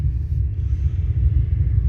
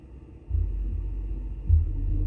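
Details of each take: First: Car audio with two Soundqubed HDX3 12-inch subwoofers on a Taramps MD 5k amp; constant deep, wavering rumble from the subs with head unit volume at zero and slight gain, traced to a faulty RCA cable. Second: Car audio with two Soundqubed HDX3 12-inch subs on a Taramps MD 5k amp, being checked for a static rumble, gain slowly raised: deep, clean bass with no hiss or static, ruling out the amp.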